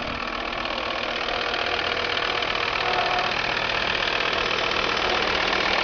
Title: strange noise volvo v70 tdi